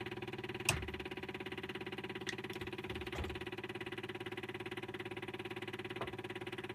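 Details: Indirect-injection diesel at 60°F, glowed 8 seconds, previously run about 5 minutes earlier: long hard crank with steady starter churn about three beats a second and no firing, a hard start.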